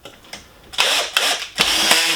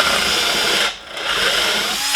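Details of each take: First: 12-volt cordless drill with keyless chuck and clutch set high, driving a bugle-head screw into hard wood: short bursts of high-pitched motor whir broken by rapid clicking as the clutch slips; normal clutch action. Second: 12-volt keyless-chuck drill with a 3/8 bit drilling a hole: high whine sags nearly to nothing as the bit bites, then climbs back weaker; motor bogs under load, battery suspected nearly dead.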